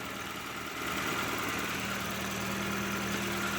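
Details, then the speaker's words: 1994 Toyota Tercel, about 1,000 miles but long sat and gummed up, idling after a Sea Foam engine treatment with some cleaner still burning off: steady, even idle, smooth note, no misses, knocks or stumbles; cleaner running engine. "So now we have a cleaner running engine. Performance-wise, I think its response will even be better."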